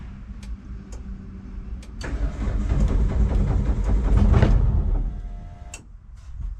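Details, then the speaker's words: Hyundai Sonata turbo, not run for nearly 3 years: steady cranking about three to four beats a second, then a short rough catch that dies; it fires briefly on residual fuel in the line with the fuel pump fuse pulled. "well it's almost started so that seems good I'm going to call that good well that was awesome pretty much fired right up which is funny because the fuel pump fuse is still chilling there I guess that's residual stuff in the line because obviously it didn't didn't stay alive"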